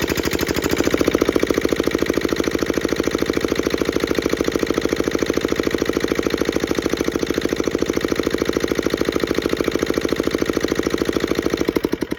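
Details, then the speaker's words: Petter AA1 single-cylinder diesel water pump running after a rope start: even thump with a crisp metallic chink from the injector pump on every beat, steady until shutdown; healthy, normal running. "and there you have it like I say I didn't didn't reckon it would take a lot to get going"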